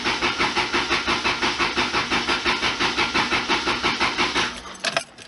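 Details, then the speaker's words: 1991 Lotus Elan after cleaning the fuel tank and installing the fuel pump, about 1.5 gallons of fuel added: steady starter cranking about three beats a second for four seconds with no firing; cranks but won't start, injectors not delivering fuel. "But yeah, those injectors are not doing anything. So I'm gonna have to reach in there and yank the fuel rail out."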